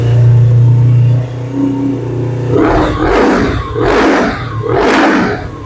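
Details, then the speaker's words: 2007 Suzuki GS500F twin motorcycle, long stored, revived: steady idle then three clean throttle blips rising and falling smoothly; runs healthy, doesn't sound too bad. "Doesn't sound too bad."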